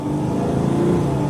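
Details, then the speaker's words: Mercedes Sprinter van, 3.0L diesel, after repair of DTC 2626, DPF and exhaust back pressure codes (previously limited under 50 mph); test drive, check engine light off, boost about 2257 hPa; deep smooth drone building steadily under load, pulling strongly; normal acceleration. "yeah it's good I like how it's pulling show the dash this is fixed no check engine light oh this thing's got a lot of power now"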